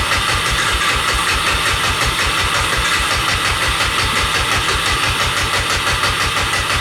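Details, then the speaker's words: 1988 Honda FourTrax 300 ATV that sat for years, with the fouled spark plug cleaned and choke on: about three quick cranking pulses a second with no firing stroke, so it cranks but won't start; the owner suspects no fuel or old fuel. "Does that mean it's not getting fuel? I don't know. Say I'm not a mechanic, I don't know nothing about this. Maybe she's not getting fuel, or that's the old fuel."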